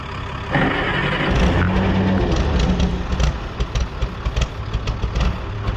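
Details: 1960–63 International Cub Lo-Boy tractor, sitting 10+ years, sprayed with starting fluid: catches with a rough burst, then stumbles and surges as the fluid burns off. Compression confirmed; plugs and stale tank fuel are suspected.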